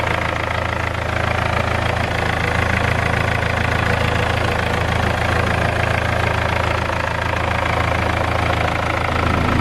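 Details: BMW E46 320d touring, M47 diesel, 200K miles, first cold start after repairs: steady idle with even knock-rattle about three per second; owner suspects an exhaust leak, likely a failed downpipe flexi.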